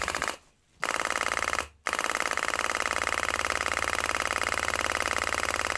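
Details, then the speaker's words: ZAZ-968 Zaporozhets autonomous heater fuel dosing pump tested after cleaning rusty contacts (previously dead, not clicking); quick even ticking about three to four clicks per second after two short pauses, pumping well; normal fuel pump operation. "отлично качает это масса была это плюс"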